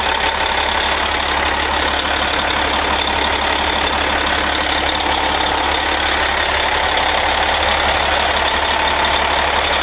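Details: MCI coach, Detroit Diesel Series 60 DDEC6 (425 hp at 2100 rpm), after repairing the external engine wiring harness that left it running on 3 cylinders: steady, even idle with smooth clatter, now on all 6 cylinders.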